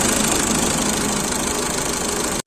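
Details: VW Vento/Rapid petrol engine, scanned for cylinder 1 misfire and pickup issues, idling after part replacement: steady, even sound with no miss or stumble.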